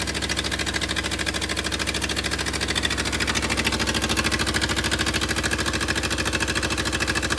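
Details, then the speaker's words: Willys CJ2A Jeep, first run after getting it started, briefly run with no coolant flowing: steady idle about three beats a second with an uneven, lumpy beat, a little rough; idle adjustment thought to be off. "The Jeep runs. It's a little rough. And let's see if it'll start right back up now."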